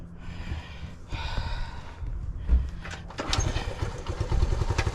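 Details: 1975 Honda ST90 small single that died, likely from fuel starvation, fuel tap switched to reserve: a couple of sputtering tries, catches about three seconds in and settles to an even putter; fuel now reaching engine.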